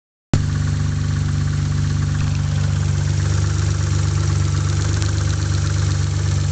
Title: 3000gt spun Bearing???